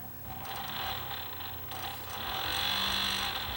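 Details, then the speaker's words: Technics SA-GX550 receiver's small cooling fan, which turns on when hot and sensing load: whir with a raspy buzzy hiss swelling as it spins up, from a noisy bearing in the little DC fan motor. "when it senses the load the fan comes on the bearing is noisy"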